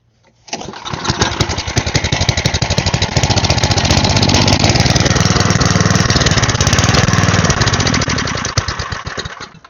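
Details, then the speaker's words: Side-shaft small engine for a go-kart, cut fuel line repaired, sat for an unknown time: runs lumpy, surging and stumbling at about four beats a second without settling; owner believes the carb needs cleaning. "Alright, I believe the carb's gonna need cleaned."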